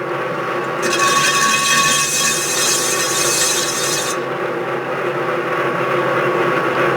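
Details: Lathe turning the OD of a cast iron clam-pump impeller, about 20 thousandths per pass: harsh rasping cut with ringing high squeal that eases off; chatter because the setup isn't stout enough; faster feed with more pressure reduces chatter.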